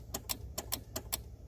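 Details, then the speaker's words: Kia Soul: key turned, starter relay clicks sharply about four a second with no cranking; test light shows the circuit complete, so the starter motor is bad. "you can even hear the relay clicking so we have a bad starter so we've got to remove the starter"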